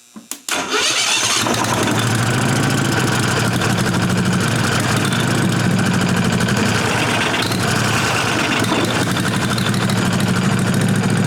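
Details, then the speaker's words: 1998 Briggs & Stratton Vanguard 16HP horizontal-shaft V-twin (model 303447) after fitting a working used fuel pump; brief crank, catches and settles into a steady loud idle through a small temporary muffler. Normal running, though pump sprays some fuel. "Alright guys, so finally got a good fuel pump except for spraying fuel out of it."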